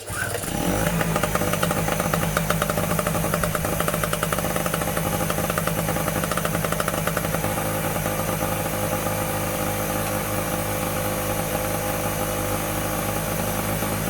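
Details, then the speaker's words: Medusa Compact 950 two-stroke generator, first cold start after fitting new fuel tap, choke on: catches within a second and settles into a fast, even, buzzy run with steady speed, no misses or knocks; healthy. "Oh, look at that. Lovely little sounding two-stroke there. Right, so that was a success."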